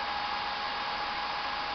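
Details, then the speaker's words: PS3 fat (CECHA01) with an adjustable fan mod, turned up by screwdriver to 100% fan speed: a loud steady air rush with a thin, even whine and no rattle or flutter, a healthy fan running flat out. "That's 100% speed. Now if you want to turn it down, you can tone it down. It's very sensitive."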